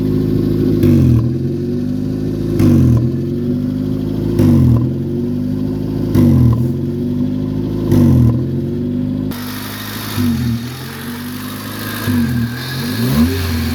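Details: 1994 Honda Civic DX, first start after fuel pump replacement: engine blipped roughly every two seconds with a raspy puffing edge on each rev; exhaust leak.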